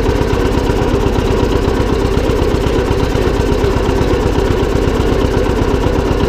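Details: John Deere 720 two-cylinder diesel tractor running after repair; steady diesel clatter about three pulses a second, and the earlier flywheel-rubbing transmission noise is gone; normal.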